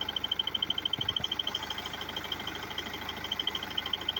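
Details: BMW F30 320d diesel engine ticking: sharp high-pitched ticking about three times a second over a faint diesel idle; regular, source not pinned down.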